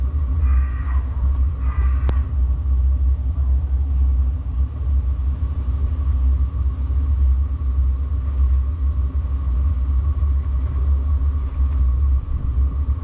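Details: Diesel heater fitted in a Peugeot Partner micro camper, recorded underneath near the exhaust after priming: low steady burner fan roar with faint regular fuel pump tick about once a second, reached temperature; normal running.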